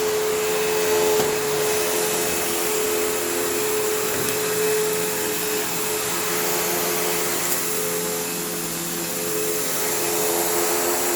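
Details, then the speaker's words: Kenmore PowerPath System vacuum on living-room carpet, just acquired: steady high motor whine with a faint wavering rough edge and a sloppy brush drive. The motor doesn't sound the healthiest and the owner plans to take it down, but it is salvageable. "Although I do think I will need to take this down to the motor because it doesn't sound the healthiest, but it's not bad. It's not like, you know, unsalvageable. It's just, you know, not ideal."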